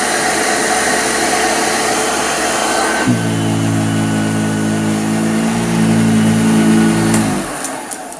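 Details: Hoover Junior U1034 Exclusive vacuum with the belt on: a steady motor hum drops to a lower, even note as the belt slows the motor and adds drag; runs smoothly and needs no work.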